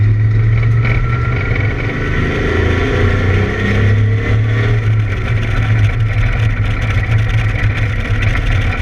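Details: ABR Camaro running misfire laps on track: loud deep engine note under load with a ragged, uneven exhaust beat, consistent with an engine misfire.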